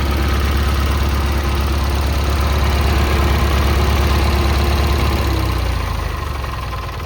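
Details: Kohler 18 twin on a Cub Cadet Cyclops, started via battery pack wired to the starter after replacing the head for a badly blown head gasket, catches and settles into a steady, even idle with no knocks or misses, then choked off.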